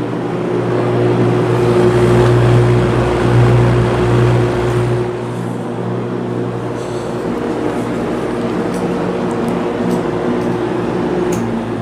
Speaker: not sure if you can hear the motor humming or not but it's quite noticeable